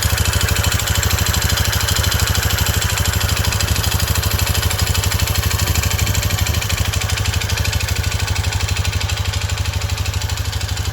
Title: NOISES FROM THE DEEP! CT125 Honda Trail 125 Takegawa 143cc piston & cylinder. Piston slap? Part 1